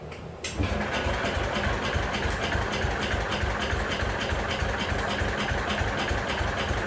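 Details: Jacobsen Chief 1200 single-cylinder engine started with choke and a little throttle: catches after a brief crank, then settles into a quick, even putter of about three beats a second; starts and idles normally.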